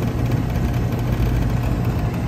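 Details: Rheem central A/C outdoor condenser running after the dual capacitor was fitted, with a new Emerson CoreSense contactor. A steady low compressor hum and an even fan rush with no chatter or rattle; it runs normally and no longer bounces around as before.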